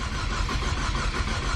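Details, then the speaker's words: Big-turbo EcoBoost Mustang with aftermarket high-pressure fuel pump, fuel pressure about 122 versus 1600 required: steady whirring crank that never fires, repeated attempts before cranking-time-exceeded disables the engine; crank no-start. "okay so i couldn't do it uh it was not starting tried it like eight times to say is the cranking time exceeded and that's what happens"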